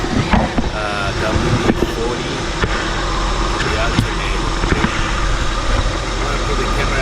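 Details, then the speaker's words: Vehicle after WD-40 sprayed on the squeaky alternator pulley: steady, even idle with low rumble and no belt squeal; noise fixed. "So I guess no more noise. No squeezy noise anymore. I think we fixed it, guys."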